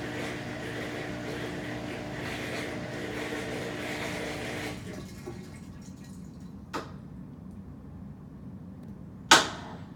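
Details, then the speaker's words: Washing machine diagnostic cycle after drain: drain hum dies away, then a sharp click and a loud single knock as the actuator shifts to spin; normal noise. "And that clicking you hear is the actuator flipping it to spin. That is a loud knock, but it's a normal noise."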